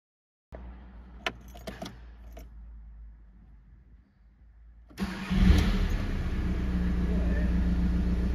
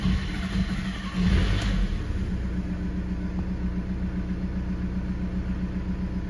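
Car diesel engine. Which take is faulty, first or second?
second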